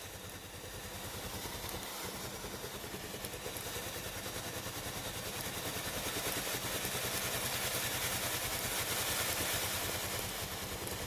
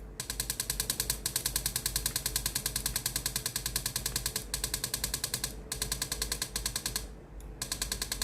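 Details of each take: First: Philips GC7620 steam iron that gave no steam, tested after pump replacement: steady, gentle water-pump pulsing about three beats a second under a growing hiss as steam now comes out normally. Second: Philips GC7620 steam iron, heated and ready: water pump clatters at about three beats a second but no steam comes out; pump replaced as the fix.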